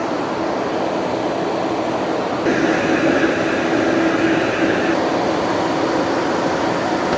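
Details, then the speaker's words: 2020 Tesla Model Y on the charger in a hot Arizona garage: steady loud whooshing fan roar rising midway as it works to cool the battery; overheating stops charging; radiator/condenser being cleaned of leaves and debris. "Um you can just hear how loud it is cuz it's trying to cool down the battery. It's causing it to not charge cuz it's overheating the whole garage, and then the charger is getting super hot."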